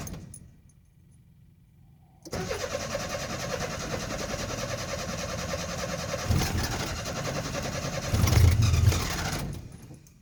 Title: Hard starting nissan 720